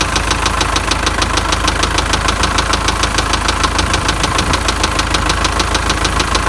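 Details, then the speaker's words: MTZ tractor diesel engine, noise appeared mid-drive and was driven about 20 km: sharp, steady knock about three per second over the idle; on teardown the cause was worn bearing shells, close to seizing. "в общем ехал сюда на полпути появился странный звук не пойму что за причина что может быть"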